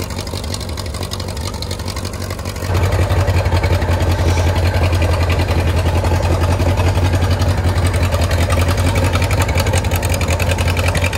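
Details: 1934 Allis Chalmers Model M crawler, 300 cubic inch four-cylinder, 85 years old, long unused; loud open-exhaust putter with even low pulses picking up after a few seconds; runs pretty good without muffler, only the right track clutch seemingly not releasing.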